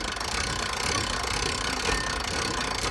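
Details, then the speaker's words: 1980s Jayco pop-top camper, roof raised with hand winder; fast even ratcheting clicks showing the roof is going up, no clicking when lowering; normal winder pawl action. "so you can hear the clicking that means it's going up it doesn't click when it's coming"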